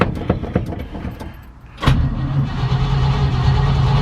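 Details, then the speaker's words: Truck cranked on a 10+ year old Duralast start battery, uncharged all summer, fuel not yet up to the carburetors: after light clicks the starter spins the engine briskly and evenly, about four beats a second; strong normal cranking. "cranking over strong i got the fuel in the carbs so i got to get gas up there but it's a strong battery"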